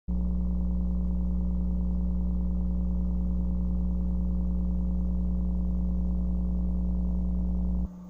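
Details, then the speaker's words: Church PA: steady low hum with buzzy overtones holds constant, then drops away sharply near the end; low-tone ground loop buzz suspected from the bass guitar, kick drum or an ungrounded item. "where is this buzz coming from? It's a low-tone buzz, so it's either gonna be the bass guitar, the kick drum, or something's not being grounded."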